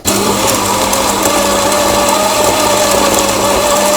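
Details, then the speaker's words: Grinder on a used 2022 Lelit Anita coffee machine after repair, grind set fully fine: steady high motor whine, pitch wavering slightly as beans feed, no grinding or rattling; grinds slowly, running normally. "Yes, I tightened the coffee grinder completely. We will probably destroy this, because it grinds quite slowly."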